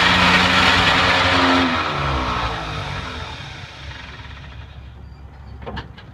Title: 1950 Buick grinding/clicking noise.